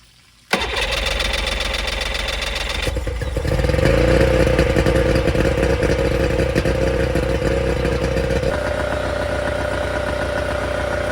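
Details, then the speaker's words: Scout 155 boat outboard after replacing a part to fix a charging issue and taping chafed wires: starts promptly, then settles to a steady, even idle with smooth pulse, no misses; charging fixed, idles better with higher voltage. ">> Well, it looks like our charging issue is fixed. It also cranked up and seemed to idle better with that higher voltage."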